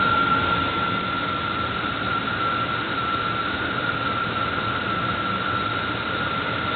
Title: strange noise from my belt area